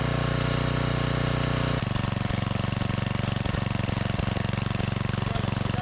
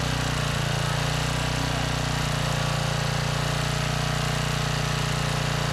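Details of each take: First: 5000 W Generac generator pulled from the trash, with a new carburetor, being tuned toward 60 Hz: engine runs lumpy with a steady pulse, then drops in pitch and won't reach governed speed; governor spring position suspected. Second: Trash-salvaged 5000 watt Generac generator with new carburetor, kill switch wiring just fixed (switch had been upside down): steady even single-cylinder drone with regular beat, no misses or knocks; running smoothly.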